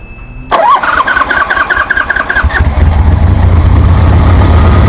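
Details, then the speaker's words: 1973 Harley Sportster with Keihin CV40 carburetor, after idle adjustment, low fuel: cranks briefly, catches at once and settles into an even, loping V-twin idle with steady firing; fuelling sounds right. "Damn, that sounds good."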